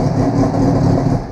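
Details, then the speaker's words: 2000 Suzuki Hayabusa GSX1300R, start-button wire grounded to bypass fault, C13 IAP code present, fuel in tank: fires right up, runs briefly with even deep rumble then eases; starts cleanly. "actually fire right up because I got gas in it"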